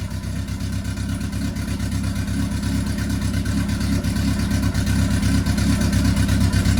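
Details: MK1 Fiesta Zetec turbo freshly built engine on first start after ECU fix idles with heavy, uneven lumpy beat and slight hunting, running rich and untuned but acceptable for a first start; rich running.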